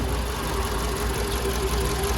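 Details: 2012 VW Polo Vivo petrol engine idling unevenly and shaking hard: irregular low thumps from a misfire, as rats had chewed through the spark plug lead to cylinder two.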